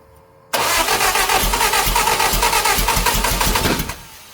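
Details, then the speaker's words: Lotus Europa Twin Cam with 123 Ignition distributor and Stromberg carbs, cranked while the distributor is turned: uneven, ragged firing that catches and falters for three seconds but never runs. Owner suspects the distributor is firing 180° off; valve clearances were also off. "She doesn't want to go. It's not firing at the right time."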